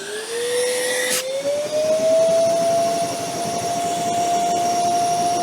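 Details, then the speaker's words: Metabo ASR 36-18 BL 25 M SC cordless wet/dry vacuum switched on at full power: clean whine climbing in pitch, then steady high note; normal operation. "now the biggest and baddest boy in the range we have the ASR 3618 bl25 MSC that's a mouthful let's turn it on full power and see what it can"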